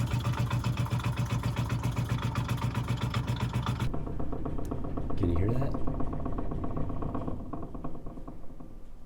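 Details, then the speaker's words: Water hammer in a 1970s house with long runs of poorly secured copper pipe: rapid low thumping, about four knocks a second, heard loudly in a lower-level wall and throughout the house whenever the dishwasher runs and its valve pulses. "so this is actually in the lower level of the house uh one of the walls where you can hear the banging fairly loudly but uh you can hear it all over the house so that's definitely a problem we need to fix"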